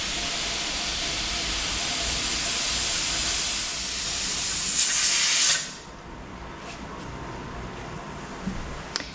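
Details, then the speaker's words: All-American pressure canner canning bone broth: a hard steady steam hiss for about five seconds, then it fades with no weight rattle yet. This is normal pressure build-up, since the weight rattles once at pressure. "Okay, once it gets to pressure, it'll start rattling around. I can either use this gauge or I can listen for this to rattle."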